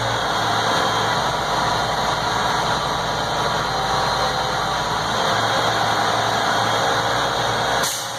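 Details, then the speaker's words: Truck air brake system test at fast idle, clutch in, neutral, building from 0 psi: steady diesel idle then a short sharp hiss as the governor cuts out at 125 psi on the secondary tank, primary still building; normal cutout. "There's the cutout. That happened at 125 psi on the secondary chamber. The primary chamber is still building."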